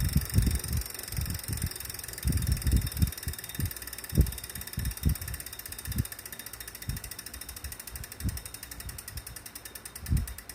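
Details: Wahoo smart trainer still noisy after cleaning, after 30 minutes warmup: irregular dull thumps every half second to second under faint fast ticking; mechanical knock of unknown origin.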